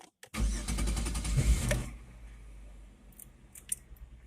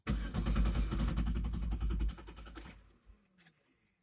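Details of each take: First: Chevrolet Venture after fuel filter replacement, fuel pump primed with key-on: brief cranking, then the engine catches quickly and settles to a calm, even idle with no stumbling or misfire. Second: Chevrolet Venture van with fuel pump fuse 32 (15 A) pulled to relieve fuel pressure before a fuel filter change. Engine cranks, catches, runs rough about two seconds, then sputters and dies as the fuel runs out.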